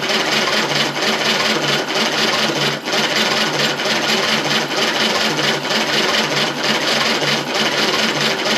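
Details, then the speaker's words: 1935 Austin 7 engine with fuel reaching the carb and dripping from the exhaust manifold: it cranks slowly at about once a second with no usual back pressure and won't start. It coughed once; the cause is unknown. "it coughed there for a minute it's just there's no back pressure you know normally get a kick of some sort if it's want to start didn't want to start"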